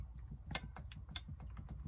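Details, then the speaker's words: Bicycle with rim brakes, front brake held and bike rocked: light, uneven clicks and knocks from play in a loose headset. "And so the headset is loose inside here."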